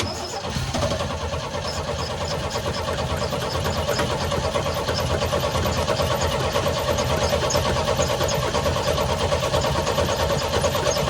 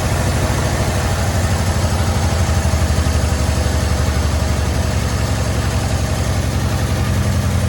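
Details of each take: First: 1972 Chevy C10 revival, long unrun, cranking to fill carburetor bowl: starter spins engine at even churning beat about ninety a minute but never fires; fuel not getting through, blocked carburetor. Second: 1972 Chevy C10, after acorns were cleared from the pipe and the fuel hose fixed: a steady, even idle with a smooth low exhaust pulse and no misses or knocks, carburetor idle turned down. It runs well, with no blow-by from the vent tube.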